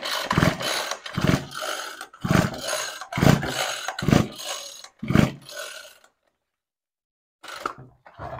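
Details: Ryobi Expand-It two-cycle trimmer with spark, fuel and compression, after setting coil gap with a business card: six or seven pull-start cranks, each short whir dying away, never catching; still won't start, cause unknown, flywheel feels wrong.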